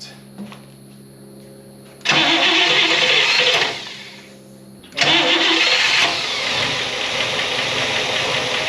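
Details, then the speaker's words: Buick Electra 225 original V8 rescued from a fire, refreshed with connecting rod bearings after a suspected rod noise: catches briefly, dies, then restarts and runs steady and even with no knock, healthy. "I know I don't want to run the wall oh my goodness that sound good I don't know about you but that's a good feeling"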